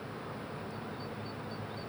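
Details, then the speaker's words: Pool heat pump in an insulated plant room, just restarted; neighbour complains of its noise. Steady even hiss and low hum with no knocks or surges: heat pump running noise. "Et la pompe à chaleur là, vient de se remettre en route, mais comme vous pouvez le constater, ça fait pas beaucoup de bruit."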